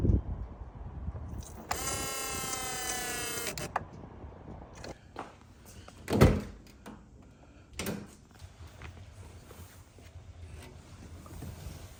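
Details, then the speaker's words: 1987 Buick Grand National original Powermaster electric brake boost pump buzzes steadily about two seconds then shuts off, louder than usual; cause under investigation, later found easy to fix. "the power Master is the original one it's an electric pump that provides the brake boost and it's making a little bit of a louder noise than I'm used to hearing"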